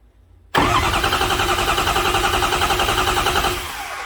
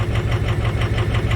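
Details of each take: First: Even, steady cranking rhythm from a 2005 Ford F350 6.0 diesel V8 cranked by jumping the starter wire, with a misfire and weak cylinders 4 and 7 plus a glow plug fault on 6; cadence suggests healthy compression before an amp-clamp relative compression test. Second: 2005 Ford F350 Super Duty 6.0 diesel V8 idling unevenly with a loping misfire; cylinder contribution test shows cylinders 4 and 7 weak, plus a glow plug fault on cylinder 6; mechanical versus injector cause being tested.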